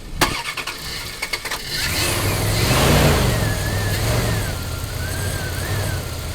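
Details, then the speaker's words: 2000 Dodge Durango 5.9 L V8, start attempted on charger's 110 A engine-start mode during no-start diagnosis; a few quick cranking turns, catches at once, revs and settles to even idle, ruling out starter and battery connection; normal crank and start. "the okay so as we could tell the engine had no problem starting so uh that eliminated the starter so the starter is in good condition"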